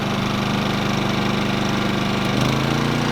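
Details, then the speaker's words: Rpod trailer's propane-powered generator just started with choke pulled, quiet mode engaged: steady, even putter with a slight pitch shift midway, no misses or knocking; normal running. "Now the generator's on. It also is equipped with a quiet mode, which is currently engaged right"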